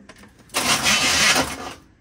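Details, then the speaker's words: 1973 Chevy small block 350 truck after new spark plugs and firing-order setup: a single harsh, roughly one-second cranking burst that stops abruptly; the starter or solenoid is believed burnt out from repeated start attempts, and both are to be replaced. "we keep hitting it it comes back for a second and then we lose it again so it probably burnt it out trying to start start this thing over and over and over again"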